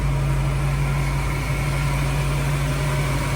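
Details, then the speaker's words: 1946 Willys CJ-2A four-cylinder idling in neutral, no check engine light: steady even low hum with no knocks, misses or vibration; runs smooth and healthy. "Look at how beautifully that thing runs. I mean, can you believe how smooth that motor is? I mean, not a vibration in it. Can't even feel a vibration in that engine. She just runs smooth."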